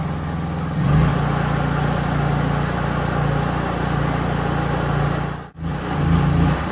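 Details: Honda EU3000is inverter generator with a Nashfuel propane/LP conversion kit installed: steady low hum with an even pitch and only a brief dip; it runs smoothly on propane.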